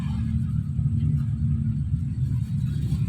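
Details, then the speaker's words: Repaired Miyako electric fan, whose motor had been overheating and stopping, replugged and running. It gives a low, steady motor hum with no ticking or scraping while oscillating; the swing works. The on/off button remains faulty, so it is turned off by unplugging. "Kita nyalakan lagi. Alhamdulillah berputar. Dah itu aja, yang paling penting ada anginnya."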